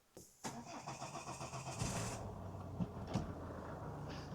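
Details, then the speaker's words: 2013 Ford Kuga diesel, first start after fixing a broken injector clamp that caused heavy smoke: brief cranking catches into a steady, even idle with no misfire and no fuel leak at the refitted pipe. Normal start. "That sounds a little nicer, doesn't it? It's going to be a bit of rubbish once. No leak."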